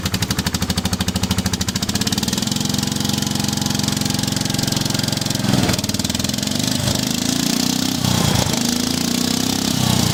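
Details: Cold start on choke with a brand-new carburetor fitted; catches with some little pops and settles into a quick steady idle of about three beats a second that firms up while warming; runs fine.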